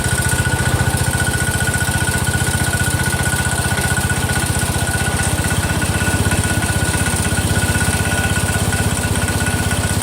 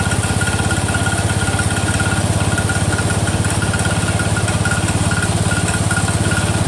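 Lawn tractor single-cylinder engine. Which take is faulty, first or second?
second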